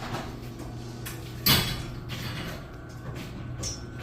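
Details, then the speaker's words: Garage door on opener just after broken springs replaced: one sharp snap as the door starts moving, then low steady opener hum; new springs may need adjusting; snapping noise on opening. "Yeah, it's opening up nice and smooth, but at the beginning there was some snapping noise."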